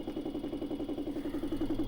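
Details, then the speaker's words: Vibratory pan apparatus back at its isolated 11 Hz natural frequency, power being added: even pulsing hum about eleven beats a second, steady and smooth; normal resonant operation. "so here we go again and everything oscillating as expected and i can even add some more power to it"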